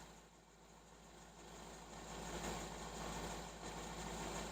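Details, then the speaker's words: Hyundai 30L-7M forklift, GM 3 L LPG engine, after repair with the MIL off and no active fault: quiet, even low hum with a steady pulse and no stumbles; it idles much smoother and shakes less than before, with the oxygen sensor switching. "a good indication though is that we don't have an active Vault anymore and it is running much smoother than it was before as you can see doesn't shake as much anymore"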